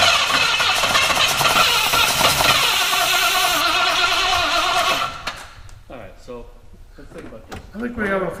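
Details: Classic V8 cranks strongly and evenly for about five seconds but never fires; it isn't getting fuel, with a quiet electric diaphragm fuel pump being checked.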